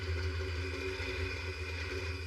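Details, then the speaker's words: 1959 Willys Jeep FC-150 F-head four-cylinder, revived after decades in a barn, first run after starter replacement: steady, even idle with smooth low thrum, no knocking or smoking; running healthy. "This sounds great. It's not knocking. It's not smoking."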